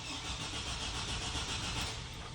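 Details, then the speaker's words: 2004 Chevy Silverado 4.3L RWD, crank no start with 60 psi fuel pressure, good fuses and no codes; tachometer shows no RPM while cranking: starter spins steadily but engine never fires; suspected crankshaft position sensor failure or its wiring/power. "see how the RPMs don't move at all while cranking that makes me think we might have a dead crankshaft sensor or something to do with the wiring or no power to the crank sensor"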